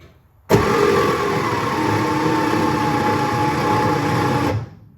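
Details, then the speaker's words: 1965 Chevrolet Corvair 110 Monza, sat 13 years with water found in the engine, fresh oil: starter spins with steady high electric whine for four seconds without turning the engine; failed starter, nose cone came off on removal. "I got the starter out, and much to my dismay, definitely figured out what was wrong with it. So pulled the starter out, and the nose cone came off with it."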